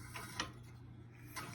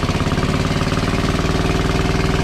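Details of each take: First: WWII Chore Horse 300 W charging set, model CH1 395-5, turned by hand before a run attempt: spins fairly easily, quiet with a few short dry scratches each revolution, suspected to be rubbing against the shroud. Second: WWII Chore Horse 300-watt battery charging set, model CH1 395-5, original 1940-41 paint, cleaned not refinished: steady, even single-cylinder thump about three and a half beats a second, no misses or knocks; runs healthy and works great.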